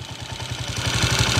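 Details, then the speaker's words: Ticking idle on a 2010 Honda TMX155 single-cylinder motorcycle before repair: quick even thump with a light metallic tick up top, plus a whine in neutral; engine noisy before adjustment. "Okay so yun Oh narinig niyo at yun yung andar niya kanina mga ka- bro maingay"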